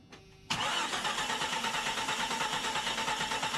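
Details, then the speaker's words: Jeep Cherokee 4.0 first start attempt after rebuild and reinstall; steady starter cranking, about three pulses a second, never catches; crank no-start with big fuel leak at the fuel rail. "We have a pretty big fuel leak right here. I'm gonna have to take this off and see what the issue is."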